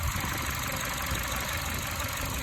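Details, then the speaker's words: 2012 Chevy Cruze LS 1.8 warm idle uneven and lumpy with slight surging, engine shaking slightly; owner suspects PCV valve in cover, many parts already replaced, cause unknown. "2012 chevy cruze ls 1.8 having a surging idle a slightly surging idle i don't know if you can see it that well in the camera but engine is shaking very slightly"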